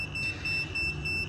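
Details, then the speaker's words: Garden railway track, meter continuity test across the line after re-seating a rail insulator: steady high-pitched continuous beep shows the short remains, so the insulator was not the cause. "I fixed it so the insulator is fine now but it is still shorting"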